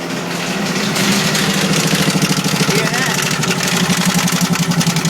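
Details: 2001 Jeep Grand Cherokee petrol idling: dull, uneven rhythmic engine knock about twice a second under the running noise; the engine is to be replaced.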